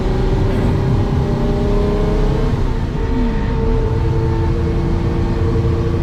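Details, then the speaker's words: 1969 Ferrari 365GT 2+2 on a cold-day first drive: a thin whine over road rumble rises and falls as throttle goes on and off. Drivetrain gear whine is suspected, possibly pinion end play, unconfirmed. "yeah you can definitely hear it look as i get on and off the gear you can hear just a little bit of uh let's see if it does that in third year or rather a fourth year"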